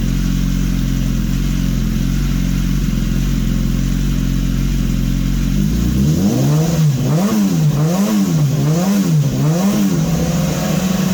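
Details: 2015 BMW S1000RR with swapped-in engine, warm, running fuel cleaner to clear carbon and old race fuel: steady low idle, then smooth even throttle blips, no knocks; normal revving.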